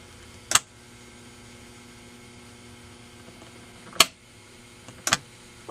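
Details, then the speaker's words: Magnescriber Deluxe model 160 wire recorder (Standard Business Machines), most capacitors replaced, fast-forward selected: faint steady hum and sharp relay clicks but no motor whirr; relay acts yet no motors receive power, so rewind and fast-forward don't work. "okay hear that little click that's that's relay acting your hum 2 is probably as it sends it through the coils see none of the motors are receiving power"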